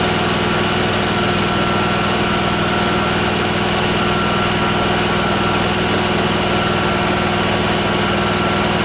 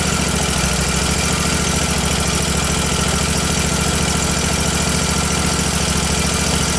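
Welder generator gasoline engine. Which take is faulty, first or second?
second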